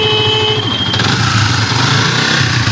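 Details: Yamaha Vixion (old model) motorcycle at idle: thin, steady high whistle from the left side of the engine that fades, absent when cold, whistling when hot; rubbing water pump seal.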